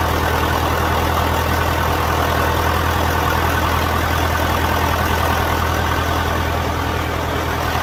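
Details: John Deere 450 diesel at first start after in-frame rebuild and fuel system bleeding; steady, even idle with a smooth low throb and no knocks or misses; sounds healthy.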